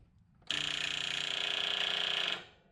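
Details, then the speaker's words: Toro TimeCutter zero-turn mower no-start, key turned to crank with a test light on the solenoid output showing only a faint glow: rapid thin buzzing chatter for about two seconds, no cranking. Likely faulty starter solenoid. "it's trying, but the starter solenoid on this mower seems to actually be the problem."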